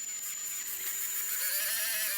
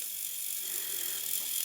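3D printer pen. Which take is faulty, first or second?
second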